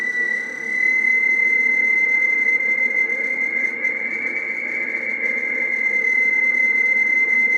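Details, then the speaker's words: Radio on 10 m at 28.430 MHz, with the reference oscillator being set by the zero-beat method against another radio. A steady, slightly wavering high whistle about 2 kHz shows it is off frequency. "hello 1 2 3 4 you can hear the difference so we're uh we're we're off frequency because I tuned it to the other [Music] one"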